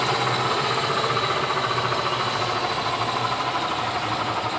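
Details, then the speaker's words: Electric BMW 320E conversion, Siemens motor on Scott Drive controller, after fixing a bad pin in the Siemens connector: steady, even mid-pitched hum with no knocks or grinding; motor spins up smoothly though turning in reverse. "finally got the Scott drive connected and turning the motor turned out it was a bad pin in this Siemens connector but now at least it spins up smoothly"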